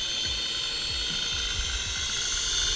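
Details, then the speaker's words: BAO NIU HC629W folding-arm brushed-motor Wi-Fi FPV toy drone in flight outdoors: steady high-pitched buzzing hum, even and smooth, light wind rumble underneath; normal flight sound. "this is actually really cool little drone it sounds good too brushed motored Wi-Fi fpv toy grade drone this sounds pretty good you hear it"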